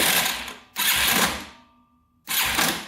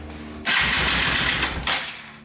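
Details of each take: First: Yamaha TTR230 dirt bike, non-running, cranked on a charger after a drained battery: harsh uneven clanking bursts, then faster ratchety clicks, something grinding. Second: Yamaha TTR230 after reassembly, cranked on a charger before oil and carburetor went in: short burst of quick, even cranking with a light whir and no grinding, sounding much smoother.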